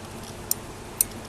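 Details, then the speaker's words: Refurbished Daiwa DR-7500 antenna rotator: two crisp clicks as the limit switch trips about 1 mm before the end stop, cutting the motor; correctly adjusted. "hear the limit switch clicking in. About 1 millimetre before. You can have 2 millimeters, whatever, as long as it's turning the motor off before it hits the end stop."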